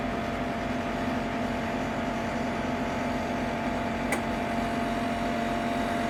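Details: Ninja Foodi 8-in-1 running cold in this recording (owner says the unbearable noise comes after warming up): steady fan drone with constant mid-pitched hum and a single tick; loud running noise, cause unclear.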